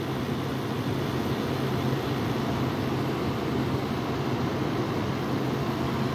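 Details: Frigidaire window AC unit unused for over a year, set to cool at 66: a steady, even hum with a low drone and a constant airy rush. After about 10 minutes the compressor kicks on and runs smoothly.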